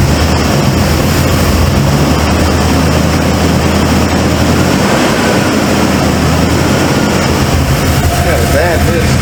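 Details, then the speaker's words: Cold start of a 1995 Ford F-150 barn find: a steady low idle with an uneven, stumbling beat as one cylinder drops out. The owner suspected plug wires or firing order, and a passenger-side plug was gas-fouled. "well maybe I need to recheck the firing order CU like I said it's got a Mist"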